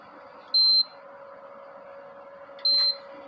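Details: Induction cooker that shows E3 error and shuts off when run at 3200 W: switched off and on again, two short high beeps about two seconds apart over faint fan hum; powering back on normally.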